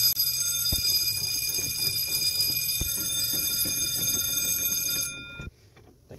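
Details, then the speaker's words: Boiler alarm bell in shop during commercial dryer repair (belts removed): shrill electric bell rings continuously about five seconds, then cuts off; reason for alarm not known. "now i'm going to take these off and wait for this damned old bowler bell to quit ringing"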